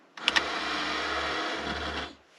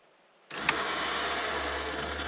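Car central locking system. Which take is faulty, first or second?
first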